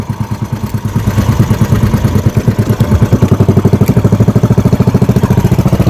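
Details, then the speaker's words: Fishing-boat (bangka) engine misfiring badly while heading out to fish; the tank was found full, so fuel starvation is doubted and the cause is unknown; a throbbing idle around two beats a second with uneven, stumbling pulses and dropped beats. "May problema ng konti at namamalya. namamal ng bahagya at hindi lang bahagya talagang namamalya"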